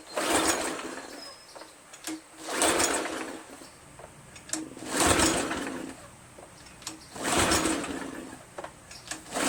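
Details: Craftsman 2700 PSI pressure washer, Briggs 7.75, after quick carb bowl clean of gunk from stored ethanol gas: repeated pull-start bursts, engine spins but never catches; fuel possibly still filling the bowl.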